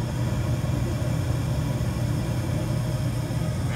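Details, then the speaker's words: York Diamond 80 gas furnace with a no-heat call, R and W jumpered: the inducer starts on its own with a steady, even low hum while the blower has not yet come on, followed by ignition. Normal furnace inducer startup. "And when I did that, the inducer comes on by itself. You can hear that the blower is not running, because normally when I would do that with the stat hooked up, the blower would kick on with the inducer."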